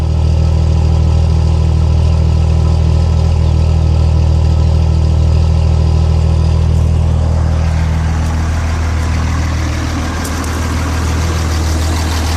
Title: Rough idle 6.7